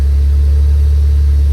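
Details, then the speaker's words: Ford Focus ST-3, crash-damaged repairable salvage car under repair, running after start-up: deep, even exhaust drone, no rattles, blowing or ticking; engine and exhaust sound lovely and healthy. "Ready? Oh yeah. Wow, that sounds lovely."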